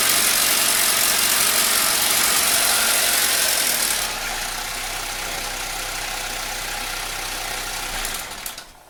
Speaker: Hey, we're here today with a 2003 Pontiac Sunfire 2.2 Ecotec or L61, and we have some timing chain slap.